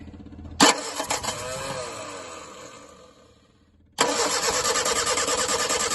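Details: Rootes 1725 engine with twin Stromberg carbs and electric fuel pump, a non-runner found to be burning water in cloudy fuel. After the fix, on a fresh battery with no choke, it catches quickly after one crank and runs evenly and steadily.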